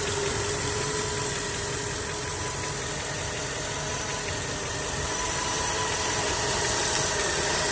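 Even tapping knock at about three to four per second over a steady idle, clearly from inside the engine, cause not pinned down.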